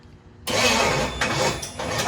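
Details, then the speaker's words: 1974 Chevy Nova with a Chevy 283 V8, first start attempt in 50 years. Fuel, compression and spark confirmed. Even starter churning, but it never fires. Timing later found to be wrong. Crank no-start. "we don't get fired we know we got gas we know we got compression so there is no reason"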